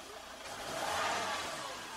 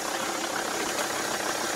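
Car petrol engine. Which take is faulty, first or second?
second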